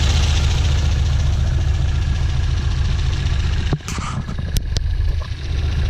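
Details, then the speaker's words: 1967 Volvo 1800S four-cylinder fired up for a walk-around; deep, steady idle around 1,100 rpm, even and unbroken, with brief handling clatter midway; runs smooth, normal idle. "okay I'm gonna fire it up as well so you guys can hear it should idle ride around 1,100 rpms"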